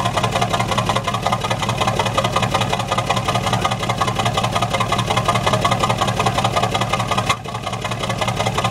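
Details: Truck exhaust: steady chuff with a regular stumble about twice a second breaking the rhythm, cylinder number four misfiring.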